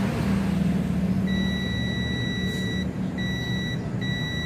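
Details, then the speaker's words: Yamaha Aerox scooter with MIL code 61: a steady, clear high-pitched multimeter continuity tone over low traffic rumble while testing the wire moved to ECU socket pin 33, confirming the wire is intact. "suaranya sangat nyaring berarti dia"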